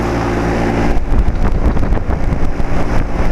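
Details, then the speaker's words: 2007 Carrier 2.5-ton central air conditioner outdoor condenser, which has made weird noises on and off for years (fan motor suspected), running normally with a steady low hum and some irregular rustling and tapping. "out and probably not even a second after I turned off the camera it started sounding normal"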